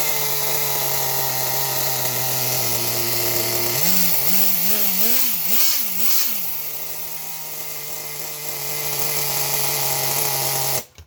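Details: Nitro RC car, second start attempt from cold after fixing an over-primed flood, high-speed needle leaned: a high, steady nitro buzz, four quick throttle blips that rise and fall cleanly, then a stable idle until shutoff; running healthy.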